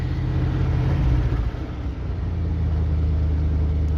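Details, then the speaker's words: 1976 Dodge motorhome engine: revs up then drops back to a low, even rumble with no knocks or stumbles; sounds healthy. Normal revving. "Like that. Yeah, the thing sounds good."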